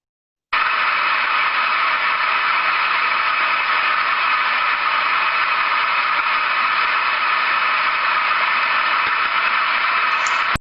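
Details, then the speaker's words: Ultrasound recording of a float steam trap: a steady, unchanging hiss with no modulation in turbulence and no float impact sounds, indicating the trap has failed. "hear absolutely no change in the turbulence we're seeing no impacting sounds from the float that should be in there which gives us an indication that this is not good"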